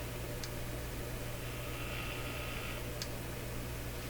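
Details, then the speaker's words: Breadner Bradna JBL-37 tube radio after its tube pins were cleaned: a steady low hum sits under faint hiss, never noticed before. The radio also has an intermittent fault. "There's a heck of a hum. I never noticed the hum before."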